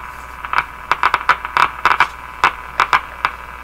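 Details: General Electric KL-70 six-band AM/SW radio, restored five years earlier, on its faulty AM band: a steady hiss with irregular sharp crackles and pops and no station audible. Only static is received; cause not confirmed.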